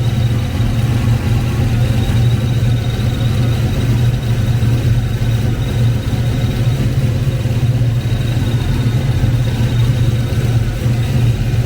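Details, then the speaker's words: Kenne Bell 2.1L supercharged Foxbody 5.0 Mustang, first start after rebuild: heavy, steady V8 idle with a thin constant high squeal; owner suspects the blower or the AC compressor spacing. "I got a little bit of a squeal I can hear."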